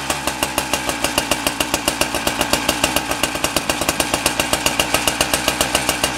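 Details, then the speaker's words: Husqvarna K970 cut-off saw two-stroke engine after rebuild, idling steadily with a crisp even pulse, running well; clutch spring and worn bearings still to be replaced. "so we got the engine going good now the engine really good"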